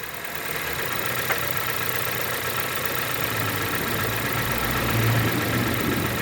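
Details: Honda Civic/HR-V automatic shifted neutral to drive with brake held, checking for a recurring engagement noise (tensioner play suspected); steady even idle, no clunk or knock on engagement; normal gear engagement.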